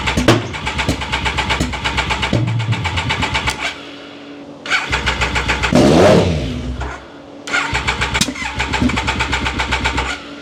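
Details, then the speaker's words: Triumph Daytona 955i project bike, water found in its fuel, tank off and easy-start sprayed in: repeated fast starter cranking with one brief catch that won't keep running; owner suspects the injection system. "Yeah, she wants to fire up."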